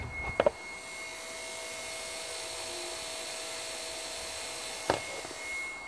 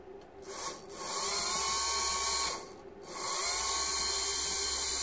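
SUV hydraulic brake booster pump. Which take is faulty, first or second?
first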